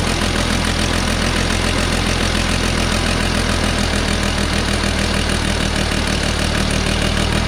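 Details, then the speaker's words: 1969 Polaris Colt 303 Wankel rotary snowmobile after years sitting, muffler full of mouse nest, carb screws being adjusted: uneven, lumpy idle with loose beat over low drone, won't rev up; rough running, rich mixture. "It doesn't want to rev. It won't rev up. She's rich."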